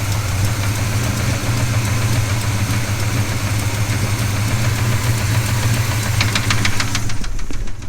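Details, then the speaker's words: 396 cubic inch big block being restarted to check for a suspected rod knock. Deep rough idle with heavy irregular knocking before it cuts out: engine knock, rod knock suspected but not confirmed. "i'm gonna start this again and see if it is a rod knock actually you know what i should say i'm gonna see if it will start again"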